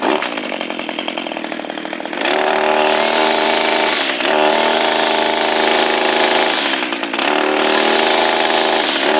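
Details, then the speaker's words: Echo SRM230 two-stroke string trimmer after greasing the head with white lithium: high buzz that wavers and dips every couple of seconds, still not sounding right; owner suspects heavy use on rose bushes may have overdone it, cause unconfirmed. "it's not sounding right I'm not exactly sure whether we've overdone it"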